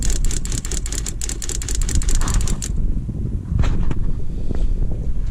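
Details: 12V Shurflo water pump mounted under a Sprinter van, after repair: dust had jammed the pressure switch, so it was freed and sealed with tape. Quick even ticking for about three seconds, then a clean shut-off as pressure builds; cycling normally.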